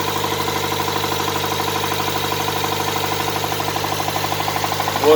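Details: Nissan R'nessa engine, last run: sharp regular metallic knock about twelve per second over idle, loud and constant, smoke from under a hose; spun rod bearings, engine scrap.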